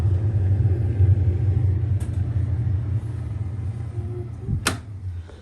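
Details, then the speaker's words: Arçelik refrigerator after repair: after pressing the door button and waiting, the light goes off and the evaporator fan starts. Steady low hum and airflow whoosh with a couple of sharp clicks; this blowing sound was absent on arrival. Normal fan airflow. "geldiğimizde bu üfleme sesi yoktu bakın nasıl düşlüyor"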